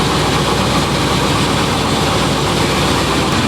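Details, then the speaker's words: 1997 GMC Sierra 3500 just after its dead fuel pump was replaced: steady, even idle with a constant deep hum and no skips, knocks or surging. Normal idle after repair. "That was it. All right. This thing sounds good, too. Make sure we got no leaks."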